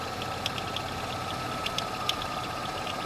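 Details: Broken power steering pulley on a GM 3400 engine (as in Pontiac Montana, Chevy Venture, Malibu): steady idle with a faint whine and irregular sharp ticks and chirps riding on top.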